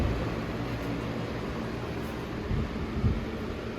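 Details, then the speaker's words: Lasko Premium Box Fan model 3723 (2005-06, nearly 20 years old) on speed one (low), which sounds like medium: soft steady whoosh of air over a low even hum, no ticking or rubbing; normal running on low speed. "that's what they sound like on this speed on um speed too speed two sounds just like this and this is on speed one"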